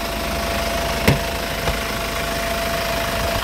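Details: Hyundai Grand Starex diesel idling with the bonnet open in a quiet spot: a thin steady whistle above the even idle, attributed to a turbocharger with a worn thrust bearing rather than the alternator.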